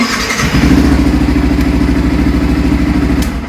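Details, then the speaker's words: Motorcycle in neutral after its self-start switch contacts were scraped clean with a blade: the starter turns briefly, the engine catches at once and settles into an even, regular idle; electric start now works normally. "Self দিয়ে দেখি কাজ করছে তোমরা দেখতে পাচ্ছ বাইকের আওয়াজ হচ্ছে সেলফ নিচ্ছে"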